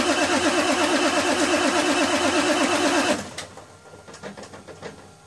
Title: F350 cold start no start